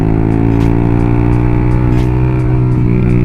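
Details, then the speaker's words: Motorcycle engine after oil change to new oil; pull now feels lighter: steady, even engine note with firm low drone, no knocks or rattles, smooth healthy running. "jadi setelah aku ganti dari tarikan mesin terasa lebih enteng Bro nih"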